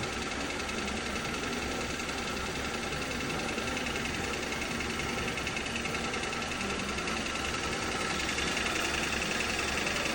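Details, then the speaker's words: Hyundai Solaris 2 1.4 with a new Chinese replacement G4LC engine, at idle and revved: a faint, regular light knock at about three to four beats a second, traced along the engine to one spot. "Не, он прямо вот тут стучит -то прямо явно. Прямо где-то вот в этой части."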